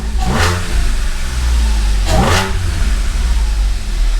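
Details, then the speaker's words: 2013 Audi S4 CGXC 3.0T supercharged engine in a 2011 S4 B8, first start after a year, freshly timed, no coolant: two quick throttle blips return to a deep steady idle, no misses or knocks, exhaust slightly aggressive; normal revving. "exhausted slightly aggressive all right [Music] okay at least the engine is alive"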